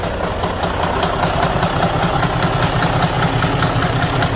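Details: Detroit DD13 truck diesel engine at rough idle with a deep, dull, very low knock about two to three times a second from inside the engine; the engine needs to be opened to investigate internal damage.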